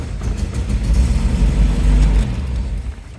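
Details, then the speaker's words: 1971 MGB GT, as arrived: fires up, rumbles low and uneven, briefly surges as throttle opens then sags and dies; won't rev; choke and fuel starvation. "Now, the problem is, on start, now it fires up, but as soon as you press the accelerator, it dies."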